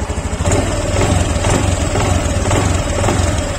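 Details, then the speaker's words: Honda Beat Deluxe scooter on light initial throttle: regular tick about twice a second from the rear CVT area over a low lumpy idle; the mechanic says this is usually the CVT case bearing, not confirmed. "nah itu di bagian belakang ada suara cetek-cetek. Ini biasanya laker ini, laker bak CVT-nya ini."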